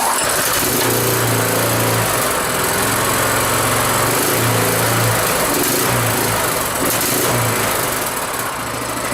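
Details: Rototiller single-cylinder engine after carburetor cleaning, started cold on choke, not yet warm: revs up and down, holds steady even beat with no misses or surging; running pretty good.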